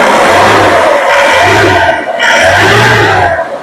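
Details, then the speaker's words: Isuzu Panther diesel with strong engine vibration, picking up crisply through three quick throttle blips and settling back each time with no knock or miss; the exhaust smoke is clean with no black or white. Normal diesel engine revving. "Suaranya garing banget."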